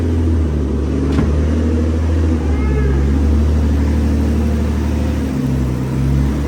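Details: Very high-mileage Infiniti G35 on first startup after twin turbo install and base map ECU tune: steady, even low rumble with no knocks or misses; heat wrap smoking on both sides; normal idle.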